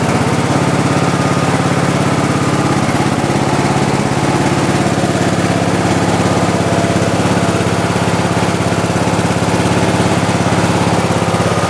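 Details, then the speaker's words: Craftsman lawn tractor, single cylinder, on its first cold start of the season with the choke on: a smooth, even, steady putter with no misses or knocks; normal running, though a slight oil smell is noticed and a leaking valve cover gasket is suspected. "sounds good all right let's go for a little test drive"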